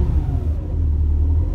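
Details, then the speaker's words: Budget squad car, carbureted, first start in over a decade after fresh oil and fluids: smooth, even low hum settling into a steady, pretty quiet idle with no misses, knocks or ticks; normal healthy idle. "gonna see if ideas to idle here it's actually pretty quiet so I'm gonna get it to idle"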